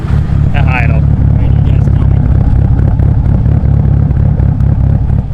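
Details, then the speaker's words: Mitsubishi Evo 8 800whp build with a fresh long block and cams, warmed to operating temperature after some break-in; deep, steady low rumble with an even beat, no knocks, ticks, misses or leaks. "everything's going good there's no leaks nothing weird as you can hear that part now freakin amazing"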